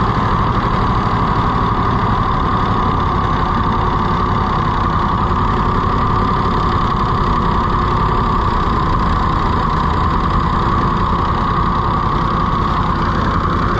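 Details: Rusty, neglected auction-bought Ford 4000 three-cylinder tractor just started: lumpy, uneven idle that never picks up speed; runs rough with no throttle action, governor seriously wrong.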